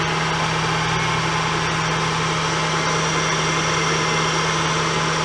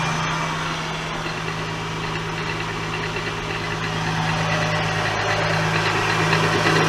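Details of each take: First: 2003 Acura CL Type S after replacing the tensioner pulley: steady, even, quiet idle with no chirp, squeal or rattle; the noise is briefly gone, though it returns later, possibly power steering or the timing belt tensioner. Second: 2003 Acura CL Type S at idle after replacing the timing belt tensioner pulley, with power steering fluid low and frothing: steady drone with faint tapping about three times a second; owner suspects the power steering or the timing belt tensioner.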